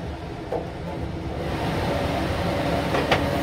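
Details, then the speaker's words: ILG B-30 blower on 250 V with restriction plate removed, drawing about 3.4 A: heavy rising rush of air swelling to a loud steady roar; running wide open without back pressure, still within motor spec. "it has no problem moving air at all but now as i said before these aren't designed to run wide open like this without any back pressure"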